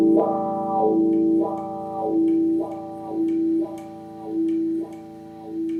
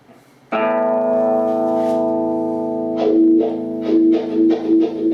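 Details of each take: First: Second-hand wah pedal after spraying and cleaning the scratchy pot: clean guitar notes with smooth wah sweeps about once a second, no scratch or crackle; the pot now works properly. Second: Scratchy wah pedal potentiometer: a ringing guitar chord swept by a rocking wah gives rough crackly bursts as the pedal moves; the pot is to be cleaned with contact cleaner.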